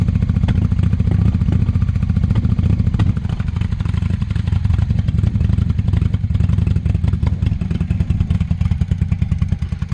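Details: 1998 Honda Shadow 750 ACE, sat over 5 years, after carburetor cleaning, warm 65°F day: very loud open-pipe V-twin idle, likely no baffles, firing uneven and hesitant; owner suspects remaining fuel issue from aging gas.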